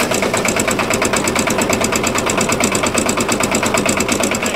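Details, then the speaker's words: Dennis Premier mower driving under load: steady engine beat with a loud constant howl from the straight-cut gearbox, caused by damaged, burred gear teeth that were ground off; gears due for replacement. "been here right but it's making a horrendous howling noise there's a horrendous howling coming from the gearbox and that's because of the damage to the Gear teeth"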